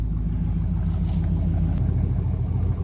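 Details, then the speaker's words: 1972 Ford F750 "Super Pickup" truck V8 idling; deep, steady rumble with an even blop-blop lope, more pronounced than before, which is desired; normal idle. "I don't know if it picks it up on the video but it definitely has more of a blop blop blop blop sound than it did before which is what you want"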